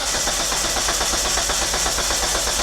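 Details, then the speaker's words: Flood-damaged Mitsubishi Eclipse; steady starter cranking about six beats a second that never fires; no spark and no fuel pressure, check engine light pulsing dim and bright, fuel pump relay to be checked. "I don't think we got spark yep so no spark no fuel pressure and that check engine light is just dim gets bright then it gets dim"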